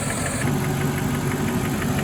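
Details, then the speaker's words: Mercedes E420 V8 at cold idle after throttle body rebuild: quick light ticking steadily over the rumble, keeping time with engine speed, isolated above the valve cover on one side; suspected valvetrain or lifter tick, unconfirmed. "It's like isolated right here. And if I put my head on that side, you can hear it right above the valve cover. That's the current sound."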